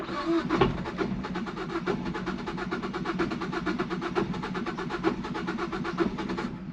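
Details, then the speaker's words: 2012 Ford Focus flooded to the roof in Hurricane Helene, first crank in neutral with clutch in: quick even starter pulses for several seconds without catching, trying to fire; flooded engine slow to start, then runs. "no it's going to run it's trying to fire"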